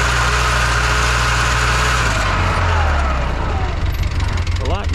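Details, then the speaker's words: 2011 Polaris Ranger 800 side-by-side, noisy rear transaxle, on a test drive in low range: heavy low drivetrain growl with uneven rough churn over the engine; missing gear tooth suspected; transaxle found beyond repair and replaced. "first that sounds really bad we're definitely missing a tooth out of something if we try low range"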